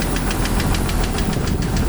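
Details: Jeep YJ 4.0 at idle with new oil filter, oil pressure over 3 bar rising to 5: fast sharp even ticking, louder near exhaust manifold; owner suspects leaking manifold gasket, not confirmed.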